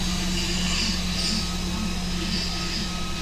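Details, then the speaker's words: Genesis G70 engine during a knocking-noise repair, running after fuel priming: a steady airy hiss over an even idle, first feared to be an intake leak or turbo, was traced to the disconnected PCV hose to the intake. "I forgot the PCB host that's going to the intake that's why we got that hissing sound um I was thinking that there's a leak on the intake"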